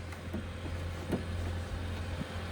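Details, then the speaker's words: 2017 Lincoln MKZ Hybrid Black Label, 141,000 miles, after transmission replacement: goes to ready with a quiet steady low hum, faint clicks, no high-pitched squeal; normal hybrid transmission after repair. "See here, car goes to ready. Nice and quiet."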